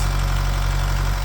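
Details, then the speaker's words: Holden Captiva 2.2 diesel idling just after an air bleed, following a no-start after EGR replacement: lumpy, uneven low chug, smoky and rich; codes show injector one and an intake air valve fault. Rough idle. "cuz a diesel's got to get all the air out. It will smoke. It will run rich."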